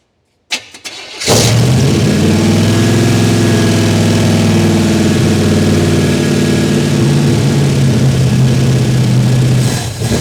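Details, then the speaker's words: 1951 Chevy 3100 farm truck with a swapped 350 crate V8, timing earlier found off: quick crank, then it catches and settles into a loud, even, open-sounding rumble with steady firing pulses; sounds healthy, normal running. "Damn, that boy sounds good."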